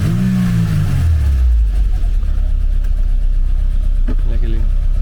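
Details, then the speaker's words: 1990 Mercedes-Benz 190E EVO 1 with EVO 2 kit, Cosworth engine on new oil, warming up: revs blip and fall back with a rough, uneven drone, an abnormal engine sound of unclear cause. "They will forgive me, but the this engine sounds is weird."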